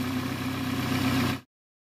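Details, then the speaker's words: 2019 BMW 330i after serpentine belt replacement (old belt squeaked): steady, even idle hum with no squeal or chirp before shutoff; accessory drive sounds healthy. "đã đến lúc hoán đổi bản dựng nên bây giờ không có tiếng rít nào cả"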